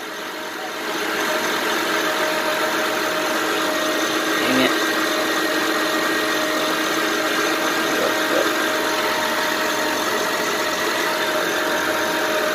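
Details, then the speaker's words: 2007 Honda Pilot 4x4 idling on battery alone at 12.66 V with alternator not charging: constant high whirring tone with faint ticks over idle, owner hears the alternator bearings; failed alternator later replaced with a rebuilt unit. "So, okay. Yep, I can hear the bearings or whatever."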